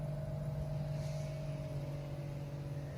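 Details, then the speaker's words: DC inverter AC outdoor unit in heating mode after fixing vibration from improper installation by adding rubber under it: steady low hum with constant mid tone, no rattling or buzzing; running normally. "अब आप इसकी sound check करेंगे की आवाज जो है वह check करें काफी हद तक बेहतर हो चुकी है और जो नार्मल यूनिट की साइडें दिया बस रनिंग कंडीशन में बस वही आ रही है"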